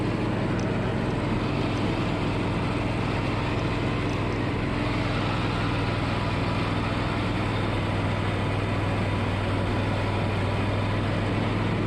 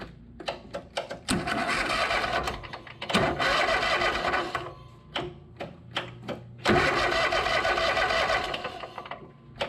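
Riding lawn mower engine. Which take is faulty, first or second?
second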